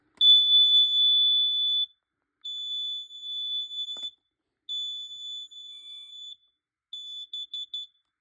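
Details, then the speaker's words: Carbon monoxide/gas detector alarming to smoke test spray, its display reading "gas": piercing high steady tone in long bursts, then shorter chirps, in a quiet room. It was reset afterward and no ppm reading was shown. "You test it with smoke spray, it actually goes off. I'm actually not joking or kidding, it actually does."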